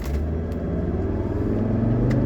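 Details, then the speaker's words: 1985 Mercedes 300SD (W126, 5-cylinder turbo diesel), freshly finished, full-throttle run from a stop on a straight: deep diesel rumble climbing steadily in pitch, strong and even with no knocks or misses: normal acceleration. "holy cow this is an awesome engine all right there we go this is officially the fastest 126 300 SD that I've driven"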